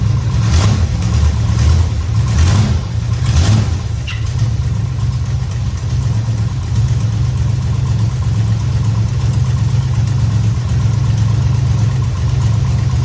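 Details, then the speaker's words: 1969 Dodge Charger V8 started after power steering work, belt tightened, fluid topped and bled with wheels up, cold garage: catches and settles into steady deep idle, no pump whine or groan; normal power steering operation. "Check it out. Everything seems to be working pretty good."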